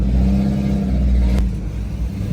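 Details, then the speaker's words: Deep, raspy V8 rumble under throttle with rough, uneven edge and ticking chatter from a 3V Mustang with Gibson catless X-pipe, running terribly; exhaust leak for sure. "I have a it's a leak it's for sure a leak because it's not supposed to sound like thi"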